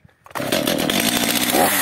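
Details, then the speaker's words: Stihl MS 230/250 chainsaw restarted on choke. It catches and screams at high revs with a thin, strained note, running as if out of fuel, before the L screw was opened one turn. "tak Czyli pilarka pracuje tak jakby kończyło się paliwo jeszcze raz ssanie"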